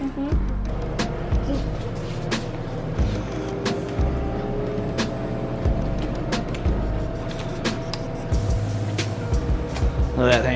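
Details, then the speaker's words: LG front-loading washer after repair of a no-spin grinding fault, by replacing the drum rotor assembly: on the drain cycle the drum spins smoothly with a steady low hum and faint whine, no grinding. "I'm gonna hit the drain cycle, and I'm gonna see this thing spin, kick the water out, you know, and if it passes the test, great."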